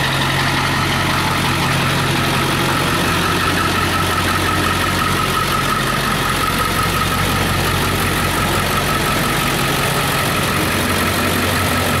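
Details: Ford 7.3 diesel truck started after long storage once batteries were charged: steady, even diesel clatter at idle, deep constant rumble, no misses or odd knocks; normal diesel idle.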